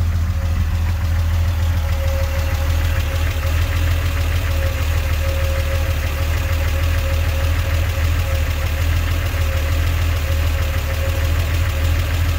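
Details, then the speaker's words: Triumph TR6 straight-six with triple SU HS6 carburetors, newly tuned: deep, even idle burble with a steady beat, no misses or knocks. Normal idle. "Might as well show you what this car sounds like these days with the carburetors finally tuned now."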